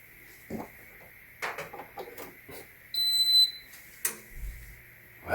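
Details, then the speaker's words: WHAL oven air fryer after a no-power repair, a single clear high beep sounds right after plugging in and the appliance powers up and responds normally; normal power-on beep. "And now we are going to park in right now. You should hear the beep sound."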